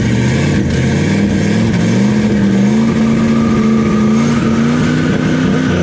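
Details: Turbo LS V8 Camaro, first start with rigged oil feed and return, turbo mounted but no cold side yet: loud open V8 runs steadily, then revs climb and the turbo whooshes as it spools; running properly.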